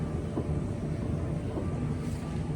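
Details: LG DLE4801W dryer, customer complaint it kept running after the cycle ended (suspected stuck control board relay); tested in the shop. Steady low drum rumble, even tumbling hum, no knocks or squeals: runs normally.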